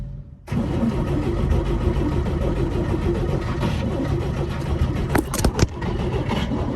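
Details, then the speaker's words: 1955 Chevy high-school car, bagged, being revived: the starter cranks the engine steadily for several seconds with no catch or firing. It cranks but won't start, and spark is confirmed with an inline tester. An earlier try gave one pop, possibly a backfire. "all right uh update so still not running still hasn't uh fired up"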